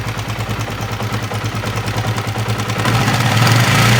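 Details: Honda CB150R idling: coarse, rattly clatter over an uneven idle, about three beats a second, rising with revs; mechanic hears a rough "kemrosok" noise, seemingly from the upper left of the engine, cause unconfirmed.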